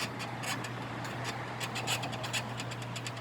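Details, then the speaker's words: 2011 Mini Countryman rear stabilizer link, removed and rocked by hand: irregular dry creaks and crackles over a low hum from a completely worn stabilizer bushing, which caused rear creaking on unpaved roads and bumps. "스테빌라이저 부싱이 완전 갔어요. 소리 들어보세요. 이 소리가 이제 비포장 도로나 그런 데서 소리가 많이 났던"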